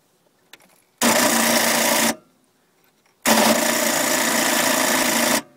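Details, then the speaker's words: 1985 Mercruiser 3.7L 170 HP Sea Ray boat engine with a long-standing hard start; battery believed full: two cranking bursts with harsh rattling clicks and no catch. Owner suspects a jumping timing chain or tensioner; cause unconfirmed. "the clicking I believe the battery is full eventually I can get it started today"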